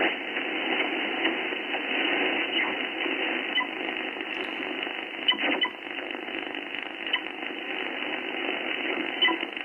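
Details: HF receiver on a Mosley tribander with no shack earth, tuned near 12 MHz: constant hiss and buzzy hash with faint crackles. RF interference of unknown origin.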